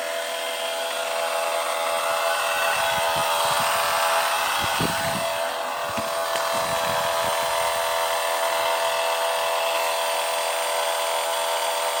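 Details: 2021 MG5 making a loud noise while rapid charging: steady high whirring drone of constant pitch, a cooling pump or fan suspected to be running hard, not confirmed; a pipe is too hot to touch.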